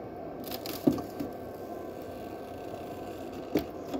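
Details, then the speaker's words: Frigidaire Gallery FGHB2866PF3 refrigerator ice maker forced into self-diagnostic mode: tray fills, then scattered hard cracks and clunks over a quiet hum as the tray flips and drops leftover cubes; normal harvest cycle. "you hear it filling the ice cube tray now inside all right and then it's gonna a little while dumping the water out let it just put in there and it's going to drop some ice cubes because it still has ice in it"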